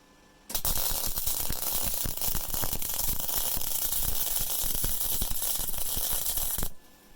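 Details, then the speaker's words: Rohr MIG-250MI inverter MIG welder, first use at power 7, wire speed 5, on ground steel plate: steady, dense frying crackle with no sputtering gaps or pops; stable arc and smooth wire feed, travel speed a bit too slow. "Bit too slow with the travel speed there, but again, absolutely no problem laying that down. No problem at all."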